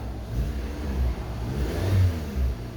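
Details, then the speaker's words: 2013 Dodge Avenger with hesitation, throttle body just cleaned, held at constant revs: RPM keeps surging and sagging, previously dropping from 2,000 to 1,800; rpm hunting; the throttle body and camshaft position sensors were later replaced. "Before, if I tried to hold a constant RPM, oh, there it goes again."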